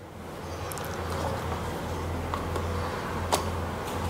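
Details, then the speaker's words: Indoor AC unit blower fan motor bench-tested on line and neutral, turning counterclockwise: quiet, steady low hum with no knocking or scraping; blower motor runs smoothly and normally. "Cái này là vòng quay theo hướng ngược chiều kim đồng hồ các bạn. Vâng, bây giờ nó đang theo hướng ngược chiều kim đồng hồ ."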